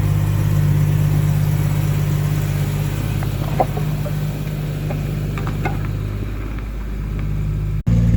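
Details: 1989 Jaguar XJS V12 coupe after fitting straight-through stainless pipes replacing rear mid silencers and new transmission mount: smooth, deep, even hum at idle, no knocks, ticks or exhaust leaks; normal idle.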